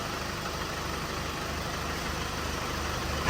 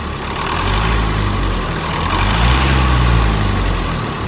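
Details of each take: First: Chevrolet Colorado Z71 2.5 diesel with 5-speed manual, the healthy reference truck recorded before a shaking-engine problem truck: smooth even idle, steady low clatter, no misses or shake; normal diesel idle. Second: Chevrolet Colorado Z71, 2.5, 5-speed manual, started and left running a while: a rev blip, then a lumpy, shaking idle with a regular knock from inside the engine.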